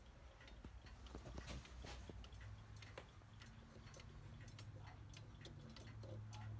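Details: Howard Miller 612-581 triple chime regulator wall clock after broken time spring and barrel and suspension spring replaced, cleaned: crisp even ticks about four per second, steady and healthy. Normal clock ticking.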